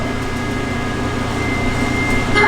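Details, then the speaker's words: Duramax diesel (K20 diesel swap) electric lift pump priming fuel system, batteries jump-started from a Tahoe: thin steady pump whine over quiet hum; normal priming until full. "Get the pump fired up. Let's get some real priming going on here."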